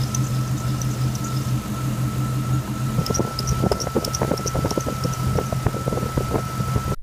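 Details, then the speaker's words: Jeep idling with a steady high squeal over a smooth idle, with some ticking and clatter later; the owner suspects the belt tensioner pulley. "so I think I might have found the squeaky problem this is the tensioner pulley righ"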